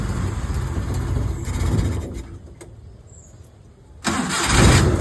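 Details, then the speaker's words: Maruti Omni started after about 4 years unused, new battery, fuel pump, timing belt, water pump and ignition parts: starter cranks, engine catches, stumbles briefly, then fires into a steady run; healthy start. "There's a good news. Car has just started."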